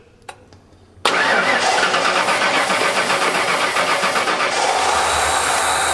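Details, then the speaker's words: 1989 Ford F-150 EFI with dual tanks, running on the rear tank after long cranking: the engine catches and runs ragged and uneven; owner suspects the fuel selector valve, otherwise a worn main fuel pump. "It's still not very happy. Run the key on and off a couple times."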